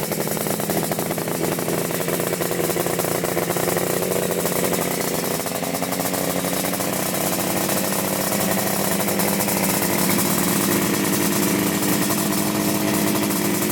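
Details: 1975 Yamaha RD350 cafe racer first start after sitting about four years. Loud, uneven, ragged two-stroke blatting, rich and laboured; owner suspects the choke was left on. Rough rich running.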